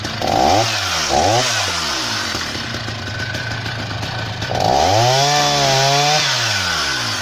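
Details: Husqvarna 480 CD chainsaw on its first tank after a full rebuild with new OEM piston and cylinder; crisp two-stroke revs up in clean sweeps, holds steady through the cut without bogging or surging. Normal running.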